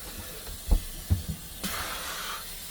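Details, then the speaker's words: Boat engine after 35 minutes running: a few low knocks, then a steady hiss of escaping steam; coolant leaking where a loose brass nut joins the plastic pipes to the brass pipe at the calorifier. "showing steam escaping for what looks suspiciously like the same place as last time right I've run the engine for 35 minutes and we seem to have a leak down there"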